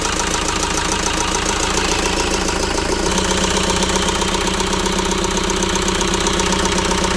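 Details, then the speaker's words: About 2006 JCB 180T compact track loader, diesel: loud idle with an uneven, lumpy beat of about four pulses a second, as if one cylinder is weak. Swapping the suspect injector didn't move the problem; a compression test on that cylinder is next. "oh so unfortunately the problem did not follow the injector so at this point we're going to go ahead and test the compression in that cylinder"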